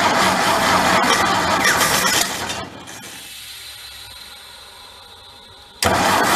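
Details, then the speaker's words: Vintage sprinkler blowout air compressor engine after tune-up, on choke with hand over intake, no muffler: cranks and catches loudly, drops to faint ragged run, then roars back; hard starting. "We're off to a start, aren't we? That is loud."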